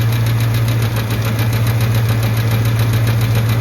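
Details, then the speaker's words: Truck idling after a struggling start on a cool 61°F morning, oil pressure good but drops when oil warms: light, even tick at three to four per second over low hum; owner suspects oil-related or the power steering pulley, unconfirmed. "Ticking's starting to get a lot slower. It might be an oil thing, but I know when you take off, you hear that, or when you stop, you can hear that little ticking, and then it goes away."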